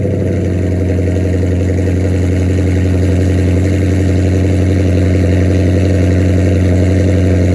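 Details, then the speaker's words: 2006 Chrysler 300 with swapped 2014 6.4L V8 and 6-speed manual, straight-piped with SRT headers, cold start before long-tube header install: loud, deep, even burble at steady idle, no ticks or misfires; normal healthy idle. "It's gonna be about the same loudness since it's already straight pipe. Just hopefully there's some type of different note from installing the long tube headers compared to the SRT headers."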